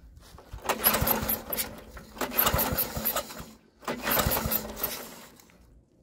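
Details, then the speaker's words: Troy-Bilt rear-tine tiller, choked and given ether after carburetor cleaning: three rope pulls, each a short clattering turnover that dies without catching; won't start, owner now suspects no spark. "off i'm starting to think that it wasn't just a carburetor so we're gonna test our spark now"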